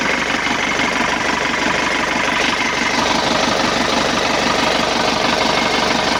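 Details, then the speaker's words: 2011 Isuzu Panther LS diesel after engine rebuild (pistons found scored; came in for an oil leak and rough noise), first run after reassembly with light throttle blips: steady, even diesel clatter at idle, no heavy knock or misfire; smooth, calmer than before. "alhamdulillah suaranya adem nih, Guys. Beda dengan kemarin ya."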